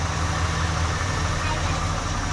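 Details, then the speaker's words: 1971 Ford LTD V8 after revival, just driven outside on its own power with reverse and drive working: deep even idle burble, steady unhurried beat, no knocks or misses; sounds healthy. "She's outside on her own power. How about that? Yeah, that sounds good."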